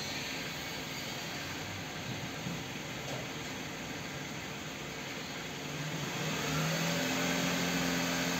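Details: Kia K5 after connecting-rod bearing replacement from below without engine teardown, fixing a rod knock: quiet steady idle climbs smoothly toward 4000 rpm with no knock or tapping; bottom end sounds healthy.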